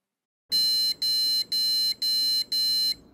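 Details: Gigabyte B660M DS3H DDR4 board, Intel i5-12400F, GT 520 card, speaker fitted: five even high beeps, about two per second, no display; likely memory or graphics fault, later booted with RTX 2060.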